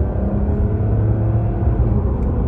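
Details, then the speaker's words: Citroën C6 HDI diesel accelerating under light load after air flow meter fix for limp mode: deep rumble holds a firm, even pull with no stumble or dead spot, no more throttle lag; normal acceleration, operation successful. "Et ça se passe très bien. Il n'y a pas de temps mort. Donc opération réussie."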